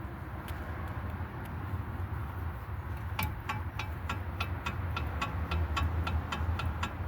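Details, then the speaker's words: 2003 GMC Envoy with a loose-feeling front end and clunk, raised front wheel rocked by hand: sharp metallic clicks about four a second from a worn outer tie rod end with lots of movement. "but you guys can definitely hear that we got a lot of movement on that lower Tire or outer tire rod"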